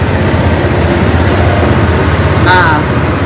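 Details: Honda PCX 160 scooter after flooding, with water cleared from the combustion chamber: loud, steady low idle with an even rumble and no misses or knocks while water blows out of the exhaust, which is normal; engine running normally.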